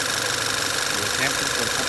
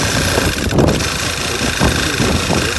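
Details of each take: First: 2012 Volkswagen Tiguan after PCV (oil separator) module replaced with aftermarket part and O-ring changed: steady, even idle with smooth hiss, no whistle or stumble; earlier whistling, rough idle, P0507 and strong crankcase suction. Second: 2012 Volkswagen Tiguan petrol engine idling roughly with code P0507: steady idle with a faint constant whistle from a vacuum leak; huge suction under oil cap and dipstick, misfire code P0300 appears.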